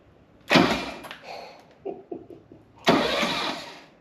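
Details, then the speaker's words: 1966 Mercedes 230SL, Euro-spec, sitting 40 years, cranked with the starter solenoid jumped after fitting a hopefully working starter: two short bursts of even, quick cranking, smooth, with no grinding or clunks; oil pressure then builds. "Absolutely no problem. Look how smooth it is, too. No weird noises."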